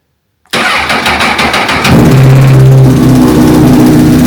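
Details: 2007 Honda CBR1000RR Fireblade started with jump pack: cranks, catches, settles into idle with busy uneven mechanical clatter; undiagnosed noise, owner suspects cam chain tensioner or worse.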